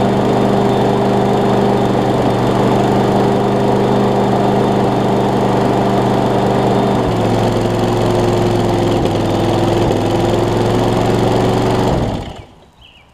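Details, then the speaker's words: Craftsman push mower with Briggs engine after new carburetor, flywheel key, pull rope and lapped valves, started with starting fluid, carb now priming; water found in it: catches and holds a steady, even hum, then shuts off; normal running. "man this had a bunch of water in it i did not actually did not expect it to crank and run like it did"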